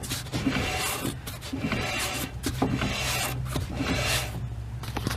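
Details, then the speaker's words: 1999 Ford Ranger rear drum brakes with new 10-inch shoes, drums and wheel cylinders, after star wheel adjustment, before bleeding: light, steady scraping rub as the drum turns by hand; shoes just dragging, correct adjustment. "I believe that's about as far as I'm going to go until I bleed the brakes. Yep. I'm dragging now."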